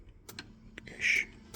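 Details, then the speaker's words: VW T4 Transporter 1.9 TD van, bought cheap at auction, turned with a flat-blade screwdriver in the ignition, in neutral. A few dry isolated clicks and no cranking: the relay clicks but the starter doesn't turn. Ignition barrel/relay suspected, later replaced with a new ignition barrel. "relay going whatever's in there is uh it's one truly knackered now"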